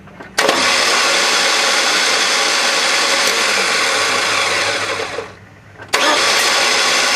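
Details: 2001 Chevy Cavalier 2.2L, key turned: high whirring starter spin about five seconds with no cranking, belt not moving; owner suspects solenoid not pushing pinion out to engage flywheel, starter replaced.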